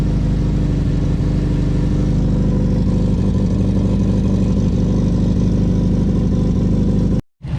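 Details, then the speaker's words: 2002 Subaru WRX with a freshly swapped replacement motor, held at around 2,000 rpm on start: a deep, steady boxer burble with no knocks or ticking; the engine sounds healthy and even. "so after a long day the car lives once again the new motor you can listen to it her i'll shut up now"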